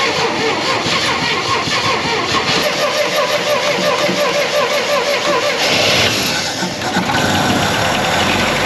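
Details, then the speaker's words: 1962 International Scout 4x4 after long storage, carburetor primed with a shot of gas: the starter churns with an uneven rhythm for several seconds before a rougher note takes over. Long cranking, slow to start while the fuel pumps up. "put a little ho on that one right prime it get a little shot of gas cuz it's going to take a while to pump up might have to do this two or three times"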